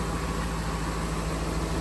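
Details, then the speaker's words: 2018 Jaguar F-Type R (X152) V8, auction rebuild project just fired up: smooth, steady idle with faint light valve tapping in the background; engine sounds okay, nothing alarming. "It runs. Didn't sound bad when it fired up. Engine sounds okay. Kind of hear the valves tapping away."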